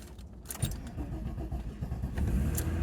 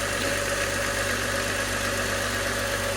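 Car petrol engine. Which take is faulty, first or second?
first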